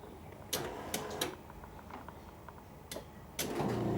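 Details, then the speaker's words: 1985 Ferrari Mondial QV pop-up headlight motor, all lights working: scattered clicks, then a strained, uneven hum that bogs under load; internal motor fault suspected, replacement planned. "One comes up and then same issue. Sounds like something inside the motor is wrong, so unless I can get inside that motor to see what's going on, there's really not much I can do."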